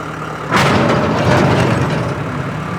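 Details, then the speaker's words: Tractor-driven rotary cutter after blade replacement, a bent blade edge ground, and fresh gearbox oil; starts and spins up on PTO to a steady, even drone with no knocking or scraping: blades clear and running normally. "looks like everything is good under here nothing's hitting I'm very very happy"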